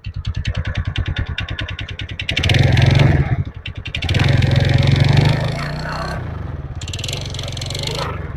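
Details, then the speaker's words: TVS Ntorq BS6 scooter idling in cold weather, speed settling after auto-choke fast idle: quick steady pulse with a few throttle blips and an odd clattering tick riding on top; abnormal noise, cause unknown. "और दोस्तों, इसमें से एक आवाज आ रही है। कृपया टिप्पणी करके बताएं कि आपको वह आवाज़ किस चीज़ की लगती है।"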